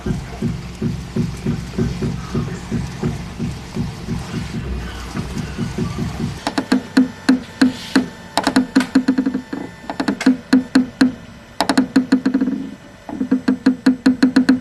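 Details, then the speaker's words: Hyundai Mistra, left front wheel making noise when steering: rapid dry clicking and knocking in bursts, traced to the shock absorber top mount, whose nut had loosened (alignment marks no longer matching). "我认真听了一下，这个声音是从减震器上面这个顶胶这里传出来的。"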